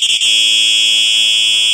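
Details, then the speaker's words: Simplex 4903-9238 fire alarm horn, date code 1999, horn-only test: loud, steady, piercing blast holding even pitch, with a little crinkly sound at the end; horn sounds normal. "now we will be testing the uh horn only it's supposed to sound like a true alert um but in a deeper tone so let's 3 two"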